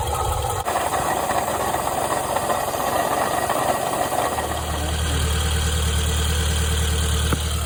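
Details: 2005 Toyota Camry XV30 engine idling with an irregular dull knock about 1.5 per second, resembling piston slap or rod knock; diagnosed as a bad water pump.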